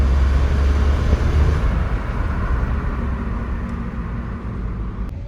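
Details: 2015 Škoda Fabia 3 1.0 MPI at idle, clutch pedal up: loud uneven rattle from the bellhousing, gone when the clutch is pressed; worn, very stiff release bearing, fixed by replacing clutch and release bearing.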